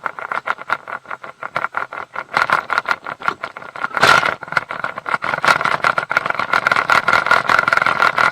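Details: Mercury 150 HP outboard in gear: fast, uneven rattling knock over a steady hum. Prop chatter from a loose propeller torqued to only 40 ft-lb against a 55 ft-lb spec. Fixed by retightening to 60 ft-lb.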